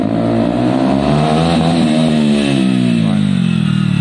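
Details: Zontes motorcycle after fix for cutting out at stops: revs fall away smoothly as the bike pulls up and settle into a steady idle without stumbling or cutting out, which is healthy behaviour.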